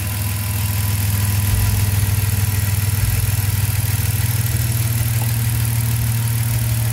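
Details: BMW six-cylinder, which had sporadic misfires dropping at idle when its LPG injector plug wiring was moved: warm idle holds a steady, even low hum with no stumbles while the wiring is moved after contact repair; normal idle.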